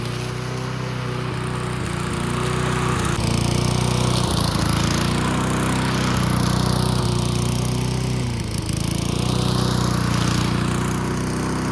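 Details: Old junkyard Bob-Cat push mower, primed and running outdoors: steady, even putter at constant speed with no surging or hunting; running smoothly and healthy.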